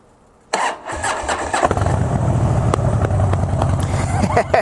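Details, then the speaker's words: Harley-Davidson Twin Cam 96 after removing primary compensator springs (it previously dragged and made noise on start), restarted fully hot: quick clean crank, fires and settles into lumpy V-twin idle, no drag or clatter; fix successful. "agora a gente vai fazer no segundo teste chegando lá na garagem com a moto quente vou desligar e vou ligar lá em seguida"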